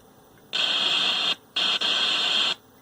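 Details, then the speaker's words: 1970s General Electric color TV model CYA7342, suspected defective IF detector IC: harsh steady hiss from the speaker in bursts of equal loudness, not following the volume control; constant static. "really just kind of there all the time"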